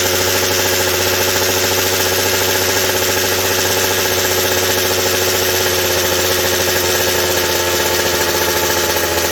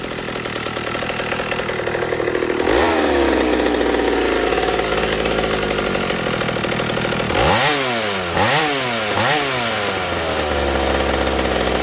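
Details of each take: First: McCulloch 790 chainsaw with an MC101 kart engine, new header and pipe, on first fire-up: steady high-revving two-stroke scream that never breaks into a four-stroke burble; the carb can't deliver enough fuel at high speed, so it runs lean up top. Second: McCulloch 790 chainsaw with MC101 kart engine, custom header and pipe, 3D-printed intake gasket and carb adaptor, seven-pin semi-chisel chain, cutting oak: loud crisp two-stroke howl dipping and recovering cleanly in the cut; healthy under load.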